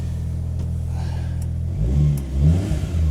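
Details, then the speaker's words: 1991 Daihatsu Mira walkthrough van on a cold start, after replacing oil-soaked parts from a valve cover leak. The small engine revs cleanly from a steady low idle with no misfire; it is slightly smoky. Normal cold start revving, sounds healthy. "Oh, that's a hell of a lot better. Listen to how healthy that sounds now. It was a little smoky at the startup, but this is how it's supposed to be. It's a cold start."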